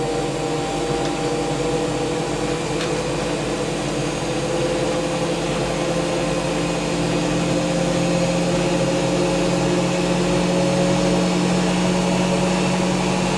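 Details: Hotpoint BIWDHG75148UKN integrated washer dryer, high-speed spin at about 1400 rpm: smooth, even spin with a steady motor tone and no knocking or grinding; normal.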